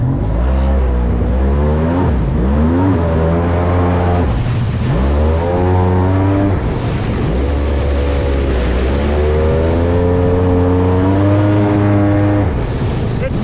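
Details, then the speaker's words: Polaris SL750 jet ski running on a cold 38°F lake, strong clean note rising and falling through repeated throttle pulls without bogging; normal running under load after the issue was fixed. "yeah that fixed the issue that fixed the issue for sure okay that makes everything all worth it man"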